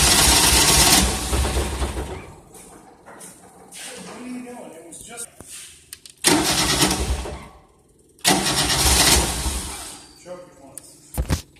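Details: 1988 Tennant 255 Series 2, crank no start: repeated bursts of fast starter cranking, about 2.5 turns per second, never catching; fuel pump sounds quiet, owner suspects it may need fuel.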